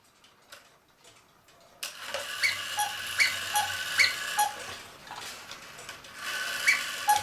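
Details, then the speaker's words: 1940 Lux cuckoo clock tested before repair at the half hour with the case side off: thin, hollow two-note cuckoo calls over soft ticking, as the bellows lack the case side; otherwise it sounds good, and the bellows will be reglued and the movement oiled. "got to remember the Sid's not on here so it can't really make the proper noise so so far this thing sounds pretty good"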